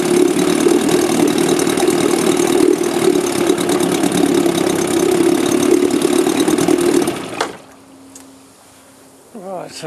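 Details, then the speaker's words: 1964 Evinrude outboard whose failed magneto coils were bypassed to test the engine: steady, even two-stroke buzz about seven seconds, no misfires or stumbles, clean shutdown; hard to start but runs normally. "that's the um the motor running a Magneto engine without Magneto coils"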